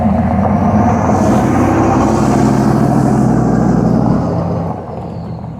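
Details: 6.5L turbo diesel pickup with straight-piped exhaust, rolling test drive after replacing passenger-side exhaust manifold gasket: deep, even rumble easing off smoothly, no sharp manifold ticking; leak fixed, exhaust sealed and normal.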